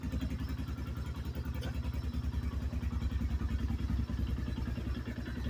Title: 2024 new xpro knight dlx 250 engine knock